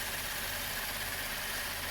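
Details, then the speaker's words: 2012 Chevy Impala idling after a 15-minute drive, following upper intake manifold cleaning, intake valve cleaning and fuel injector and harness replacement: even, steady idle with hiss, no stumble or misfires; runs smoothly. "You can hear it now. Smooth as butter."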